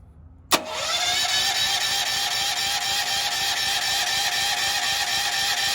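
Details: Firman generator switched to gasoline after filling with gas: start-up whir settles into steady high-pitched spin with no firing beats; cranks but will not start, cause unknown, owner thinks a starting instruction was missed.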